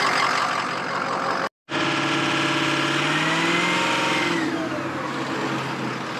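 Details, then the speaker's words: 2003 Ford F-350 6.0 Power Stroke diesel, injectors, FICM and MAP sensor recently replaced, oil found bone dry: very rough, lumpy idle that is fine-ish cold and worse as it warms; cylinder 6 injector failing contribution test, causing a misfire. "So this is the poor running he's talking about, huh? Is that just the normal idle? Oh shit. Vehicle runs real rough."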